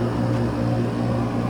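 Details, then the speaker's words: Old portable air conditioner after repair, having released magic smoke with the compressor seized and its capacitor blown. Compressor now runs with an even low hum and steady drone, no clatter or buzzing stall; the evaporator is icing up, so it is fixed. "light lit, and it sounds like everything's working. We'll give it just a minute to do its thing, but I'm pretty sure this thing's fixed."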